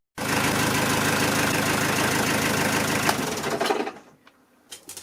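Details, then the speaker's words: Ford XLD 1800 diesel canal boat engine after fitting the missing thermostat, back at idle with coolant circulating and hoses warm, temperature about three-quarters: even, steady diesel clatter then clean shutdown, no knocks or labouring — normal idle, overheating fixed. "now it's back in idle as well so the coolant is circulating around and doing its job"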